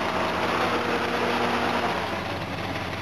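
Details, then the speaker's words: Holden GMH 308 V8 at idle just after starting, having flooded on its winter tune: a thin, high squeal in short chirps over a steady idle; accessory belts squeaky, alternator belt due for replacement. "Belts are a bit squeaky."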